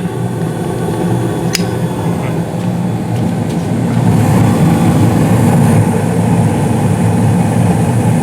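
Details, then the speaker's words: Five-year-old 2016 Carrier furnace, blower speed raised to medium-high, at startup: a smooth low hum builds as the blower comes up, with the inducer spinning quietly and no rattle, scrape or squeal; normal operation. "same thing as before burners look good juicers uh spinning nicely nice and quiet too"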